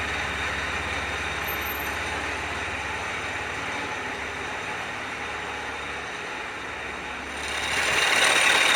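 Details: Land Rover Discovery 4 with the 3.0L SDV6 diesel at idle: a fast, even metallic rattle at about four per second from the front of the engine; the auxiliary belt and tensioner were replaced, cause not confirmed.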